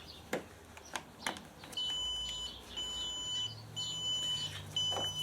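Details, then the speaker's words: Motorcycle lithium jump starter connected to the bike shows an error and gives a sharp high beep about once a second. "now I'm not too sure I don't know if you can see that but that's um saying error and beeping obviously as you can hear it I don't know if it's supposed to do that"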